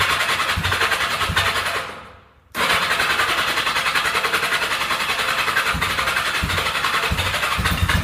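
Cold engine catches and runs ragged and uneven after a brief stall, struggling to settle; a hard cold start, cause not evident.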